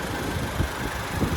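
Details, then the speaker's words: Pickup truck at a government auction, hood open, listening at the engine: steady low idle with a soft, even rumble and a few light thumps; a slight vibration noted but otherwise sounds good; normal idle. "But other than that, it sounds good."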